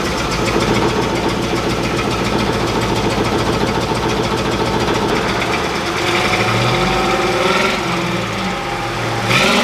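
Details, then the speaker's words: 1971 crew cab truck that ran perfectly on a 40-minute drive, then started running badly on arrival: an uneven, lumpy idle with an irregular stumble and a few blips. It sounds like a misfire or dead cylinder; the cause is unknown. "So, as you can hear out of our uh on our idle circuit, it kind of sounds like it has a dead hole. I don't really know why."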